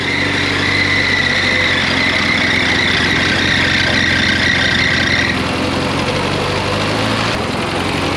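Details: 1975 Chevy Vega Cosworth, abandoned car just started on its first road-test day, brakes weak: fast, buzzy idle well above normal with a raspy RX-7-rotary-like note; idle is high.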